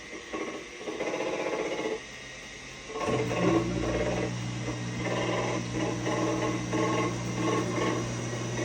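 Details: GE front-load washer on spin cycle: steady motor hum with rough rhythmic scraping grind about four times a second.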